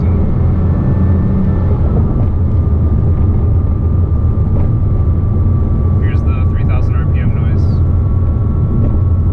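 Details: 2007 Porsche Cayman S, 45,000 miles: thin high-pitched whine rising with RPM, most noticeable around 3,000 rpm, also in neutral, gone with clutch disengaged; worn water pump bearing, replaced pump and noise went away.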